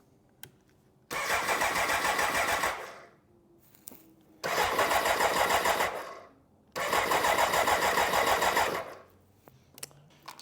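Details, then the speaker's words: 1993 BMW K100, 75,000 miles: three cranking bursts of about two seconds, turning over roughly three times a second, never catching; no fuel pump priming heard. Crank no start, fuel pump later replaced. "okay I don't hear the fuel pump"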